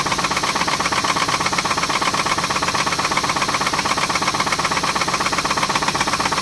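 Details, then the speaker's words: 2006 Pontiac G6, after replacing oil filter housing gasket and oil; sharp regular knock about 160 per minute; owner suspects a rod knock, unconfirmed: engine knock. "It's still knocking, but well, it's got a bad grinding sound. I don't know if y'all can hear that grinding. I know y'all can hear that motor knock."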